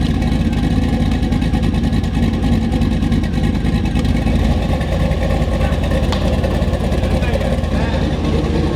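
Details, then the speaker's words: LS V8 in a Volvo 240 wagon with a turbo cam and open downpipe, idling smoothly on the Holley ECU at 800 rpm, 13-14 AFR and 47 psi oil pressure: a loud, even low rumble with no knocks or ticks. "Already the Holly's got it idling like perfectly. 800 RPM, 13, 14 AFR. It's crazy. 47 PSI of oil pressure."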